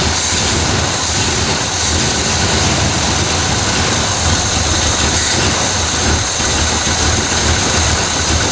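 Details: 1968 Chevrolet Malibu carbureted V8 with Quadrajet, after flooding start trouble, distributor advance parts replaced and base timing set to 12 degrees: steady low rumble under hiss, even with no misses or stumbles; healthy normal idle.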